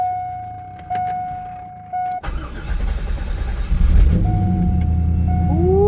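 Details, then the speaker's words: 1998 Chevrolet C5 Corvette automatic, about 147,000 miles, barn find that sat a long time, started with a newly fitted battery: a chime, then the V8 catches and settles into a steady, even low rumble with no knocks. Healthy idle. "She fired right up, son. She purring like a kitten."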